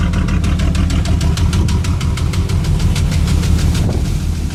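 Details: Firebird 3.8 V6 with rod knock and smoke, idling: sharp, steady knock at about six or seven raps a second over a deep rumble.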